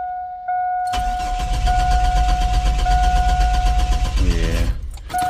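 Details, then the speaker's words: Truck cranked right after a new distributor cap was fitted: steady starter whirr with even cranking pulses around four per second, never catching; cranks but won't start, owner now suspects the fuel pump. "nope that did not work so it got to be the Frugal pump damn it"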